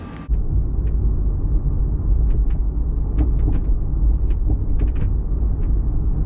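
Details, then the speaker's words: Toyota MKIV Supra driving on the road: irregular sharp little rattles from the rear hatch over low road rumble; hatch rattle. "You're driving down the road and this hatch just rattles like crazy. It makes so much noise."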